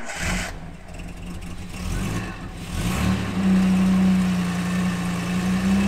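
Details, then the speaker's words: 1978 Jaguar XJ6 Series 2 barn find, stored since 1999, first run after fuel tank refurbishment: cranks and catches after a few seconds, then runs on held-up revs with an uneven note; won't settle to tickover, idle needs setting up. "Dad's going to give it a it won't tick over we're going to have to get that and get that set up"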